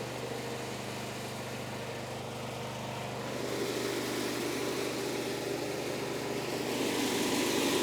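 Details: Small gasoline engine on a compressor found with the 1987 F350 auction truck, started after finding its fuel tank: a steady, even drone with a smooth low beat and no knocks or misses. It runs normally; one fitting may be leaking pressure.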